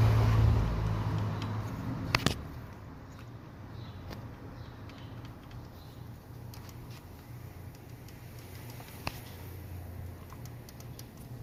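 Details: 2006 BMW E90 with N52 engine idling: a loud, constant light tick at about four a second over a low hum, from a broken hydraulic lifter on cylinder 1 exhaust side; replacing it removed the noise.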